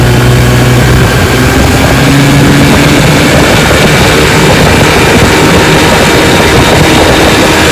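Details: 1955 Johnson Seahorse 10 hp outboard, restored with rebuilt ignition, carburetor and gearcase, pushing a 14 ft john boat about 18 mph: steady, even drone at full load with no misses or knocks; normal running under load.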